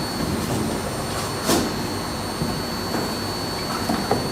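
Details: Beko D5 7101 washing machine with plastic tub, after drum bearing and seal replacement: steady, even whir through the spin with no rumble, grinding or knocking; drum bearings run smooth and healthy.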